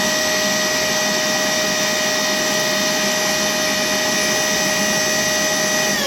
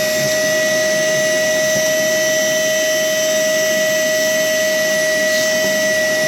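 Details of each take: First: Worx WX031 brushless cordless 20V wet/dry vacuum picking up water in 100 ml steps toward its 2.9 L capacity: steady high motor whine with a constant airy rush and no surging or gurgling; normal wet pickup. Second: Worx WX031 brushless cordless 20V wet/dry vacuum with its filter clogged by fine dust: steady, high-pitched howl barely changing pitch as the motor strains against no airflow, suction lost.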